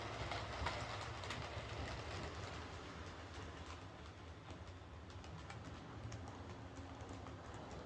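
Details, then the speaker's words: Bachmann Webb Coal Tank 0-6-2 model locomotive pulling coaches after repair of dislodged rear axles, bent pickups and a filed deformed wheel flange: light steady rail clatter with even rhythm, no clunking. Runs smoothly. "So let's pull this out again with the coaches. No problem at all. No more clunking."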